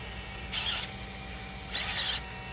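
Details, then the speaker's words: Traxxas E-Revo VXL dual steering servos after steel gear kit (2072X) repair, two brief smooth whirs as steering sweeps over a steady cooling fan hum, with no binding or grinding. "I do not hear any binding the noise you would hear is turning all the way to one side it will sound like the server is working really hard to actually get all the gears to move in One Direction"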